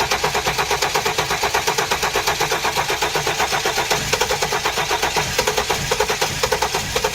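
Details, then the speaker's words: Flood-damaged 2016 Hyundai Genesis with original ECM reinstalled and no codes: steady cranking chug, about five compression beats a second, for over seven seconds, never catching. Crank no start; the crankshaft sensor signal looks suspect. "cranked the car crank no start the other weird thing no matter how long i crank it and it doesn't throw any code there's no codes whatsoever"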